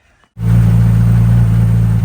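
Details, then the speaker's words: Nissan Skyline R33 GTS-T just after fitting a hybrid turbo, braided oil and coolant lines, turbo elbow and downpipe. A deep, even rumble right after firing up, with no leaks heard. It runs slightly rough after sitting a few weeks, and the owner suspects the spark plugs need cleaning. "Sounds much better. Still lining a bit funny, but it's been sat for a few weeks."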